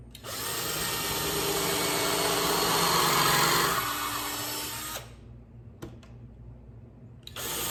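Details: Cordless drill (not impact) pre-drilling holes in 2x3/1x4 wood for a mortar rack: steady whine sags and winds down before cutting out under load; battery running flat, swapped for a fresh one.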